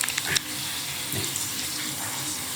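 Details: Panasonic AF90B2 washing machine: continuous splashing water with no break while the tub fills; fill water drains straight out instead of being held, so it cannot wash.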